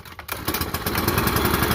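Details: New Echo PB-5810T blower, four-mix engine, first run: fires on the first pull and settles straight into a smooth, steady idle with no misses; normal start and idle.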